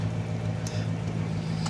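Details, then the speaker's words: Classic Plymouth Barracuda convertible V8, bought at Copart, idling soon after starting with no hesitation: steady, even low rumble, no misses or knocks; purring smoothly, healthy idle. "Yeah. Listen to this thing pur though."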